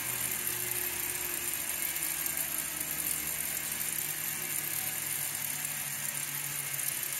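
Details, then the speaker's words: 1908 Spencer Turbine central vacuum, restored and running at full speed: steady high airy rush with an even whir, no knocks or rubbing, constant speed, excellent suction and airflow; normal running. "the machine came up to full speed and then ran smoothly At Last I could say that this thing was working again with excellent suction and airf flow"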